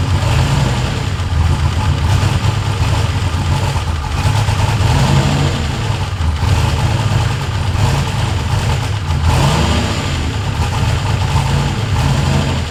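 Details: Ford F100 with swapped turbo LS1 V8 (Holley), after adjusting the throttle butterfly stop screw to raise idle and reduce idle air control motor reliance: loud, deep, evenly firing rumble with mild rev swells, no knocks or misses; healthy idle.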